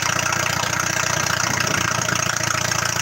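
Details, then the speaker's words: Oliver research tractor with a Hercules four-cylinder gasoline engine at 12:1 compression ratio, used in research leading to the Super Series: steady, even low-pulse normal idle with a smooth purr. "wow listen to that thing idle 12 to 1 compression ratio"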